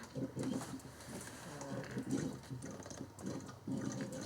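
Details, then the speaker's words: 1997-03 Ford F-150 5.4L 2V after water pump replacement, first fill with Ford Gold coolant mixed with distilled water (about three gallons), engine not started: squeezing hoses gives quiet hollow gurgles in irregular bursts, large air bubble being forced out. "sounds like a pig oh that's that big air bubble i talk about by squeezing the hose you're forcing the air bubbles to come out before you even start this engine"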